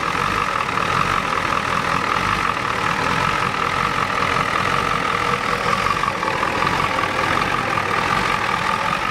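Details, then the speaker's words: 1993 Ford F-250 XLT 7.3L IDI diesel that sat about a year, now warmed up at idle: uneven, lumpy clatter with no clean rhythm and the truck shaking. Owner suspects it is out of time. "good it's warmed up now and it's not running too good it's out of time hear it sounds funny it's out of time you guys agree you think it's out of time"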